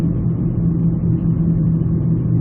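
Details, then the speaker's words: 2001-2002 Ford Escape driving at 30 mph on a curve at night: loud constant low hum, roar and grinding from a badly worn front press-fit wheel bearing, noisy from 20-30 mph up. "So it's a constant humming noise, and when they get this bad, they'll be noisy from, I'd say, 20 or 30 on up."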